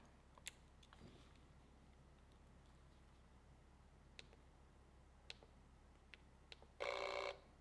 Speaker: Did you hear that? The sensor vibrates and shakes off the dust.